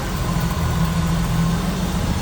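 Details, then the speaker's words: 1986 Jeep CJ7 4x4 engine bay, idling with hood propped open: power steering, HEI ignition, newer plugs and wires, new radiator; smooth, even idle with a steady low rumble and no misses, ticks or knocks. Normal idle. "As I mentioned, power steering. Baby's running smooth."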